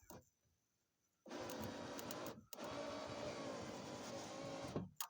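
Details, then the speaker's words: 2001 Pontiac Firebird power window motor wired directly to power: two smooth, even two-second motor whirs with a clunk at the stops as the window rolls up, motor works normally, so the window switch is bad. "window is rolling up dang it it's hard to do with one hand window is rolling up"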